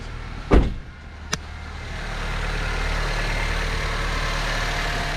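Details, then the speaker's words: 2007-2012 Honda Civic four-cylinder started right after a spark plug replacement: after a brief door thump, a steady, even low hum with no misses or ticks; smooth healthy idle. "The rest smooth. Sounds like smooth."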